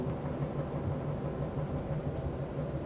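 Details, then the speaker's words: Cabin road test at about 100 km/h with a vibration sensor on the right rear wheel: loud steady low roar with a faint hum, the excessive road noise being chased. The right rear wheel/tyre assembly shows no abnormal frequency. "you can certainly hear how noisy it is and that's the noise that we're actually chasing we're around about the hundred k's an hour at the moment"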